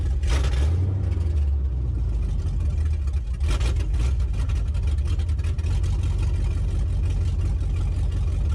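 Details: LS-swapped Chevrolet S10 after retuning injector data for 50 lb injectors (42 lb at 43.5 psi run at 58 psi): deep V8 rumble picks up cleanly on throttle blips and settles without stumbling; normal throttle response.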